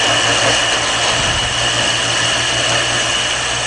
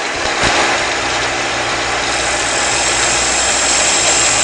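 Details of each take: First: Shopsmith lathe with lathe duplicator turning a taper: a harsh, buzzing scrape of vibration over the lathe's steady hum, chatter from feeding the cutter too fast. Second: Shopsmith lathe turning a table-leg taper, final finishing pass at high speed, slow feed: steady high whir with even cutting hiss and no chatter, a clean smooth cut.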